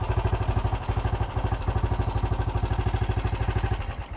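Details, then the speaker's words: Vintage BSA single-cylinder motorcycle that had been hard to start, after setting the idle screw and adjusting the carburetor mixture screw, with a blip: steady even low thumping, no misses or knocks; clean healthy idle. "Sounds pretty good. >> That sounds much better."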